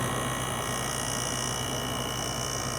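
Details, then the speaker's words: LG 6000 BTU window air conditioner, single-phase GMCC rotary compressor, heard up close from outside: steady, even low hum with constant fan rush, no knocks or rattles, compressor and fan running normally. "Hear the compressor a little bit better in here. GMCC rotary, one phase."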